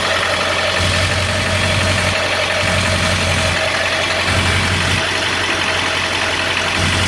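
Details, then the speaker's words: 2001 Ford F-250 7.3 diesel idling, phone held against the transmission: slow, uneven low throb about once a second; vibration misread as a misfire, suspected flywheel or torque converter imbalance after transmission work, not confirmed. "crank down there kind of vibrating a little bit it's not as bad as it is over here on the transmission side"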